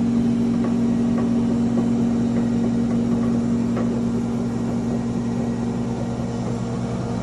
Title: GE Profile UltraFast Combo Washer & Dryer knocking sound at high spin